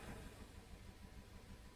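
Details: Audi TT with a P0304 cylinder 4 misfire and injector shutdown, slight shake at idle: quiet, uneven idle with a faint stumble in the beat; leak-down test confirmed a head gasket fault giving low compression on one cylinder.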